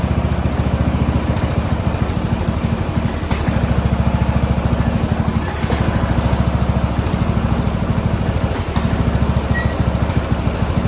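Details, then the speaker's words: Free Craftsman riding mower (part 917.273760), single-cylinder: it chugs with an uneven, hunting beat and occasional stumbles at about three pulses per second; the rough running is suspected to be fuel starvation. "I think it's fuel. I don't think it's getting enough fuel. Yeah, I don't think she's getting enough fuel."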